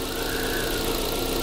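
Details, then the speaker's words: Normal smooth, quiet engine idle on a used car; a paper cup of water placed on the engine stays almost still without rippling, indicating good engine condition, whereas sloshing water or a tipping cup would signal vibration problems. "근데 물이 거의 움직이지 않고 그대로 파도를 치지 않고 가만히 있다면 엔진 상태 좋은 겁니다."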